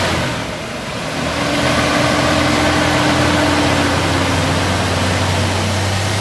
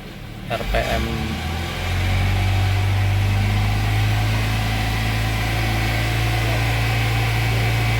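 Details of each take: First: 2003 Toyota Kijang Kapsul during tune-up, after combustion-chamber cleaner foam soaked 15 minutes and spark plugs were cleaned: starter cranks long before the engine catches and runs steady, due to residual foam. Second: 2003 Toyota Kijang Kapsul injection after a tune-up and cleaning-foam treatment: held at raised revs for 10–15 minutes to burn residue out through the exhaust, with temporary smoke. A steady, even drone with no misses; the engine runs normally.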